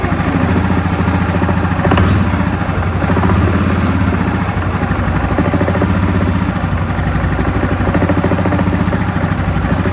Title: Ямаха Гризли 700 стук со стороны вариатора